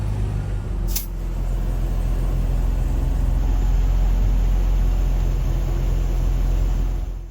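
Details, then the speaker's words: Dodge Charger idling right after a jump-start: a steady, even low rumble with no misses, knocks or surging. The engine idles perfectly and sounds healthy. "This thing idles super super well. Not sure if the you'll be able to pick up the idle a whole lot on camera right now, but idles perfectly."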